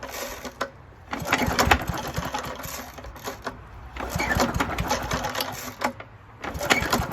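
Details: 1972 Hayterette mower, very worn after hundreds of hours last year, first cold start after sitting six or seven months with fresh fuel and old oil: three bursts of pulling and sputtering with quiet gaps, never catches; hard starting.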